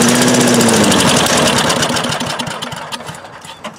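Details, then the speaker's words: 1985 Billy Goat leaf blower, Briggs & Stratton 8HP, air filter removed, starting fluid sprayed into intake: quick burst of sharp even firing pulses about four per second, fading within seconds; has compression and spark but won't keep running; fuel tank reportedly leaking. "that is very encouraging so it does have compression it will run it's getting spark"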